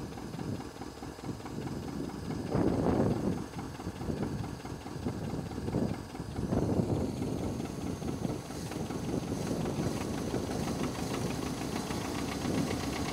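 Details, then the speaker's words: International Scout 80 (1963–65), sat over 10 years, first run with fuel hand-fed by bulb and a known exhaust leak: uneven, lumpy idle with irregular gaps, wind on the mic; owner suspects not all cylinders firing, plans fuel system then ignition (possibly Pertronix, cap, rotor, plugs, wires). "I think what I'm gonna do is get the fuel system working correctly then the ignition, it doesn't seem like all the cylinders are firing."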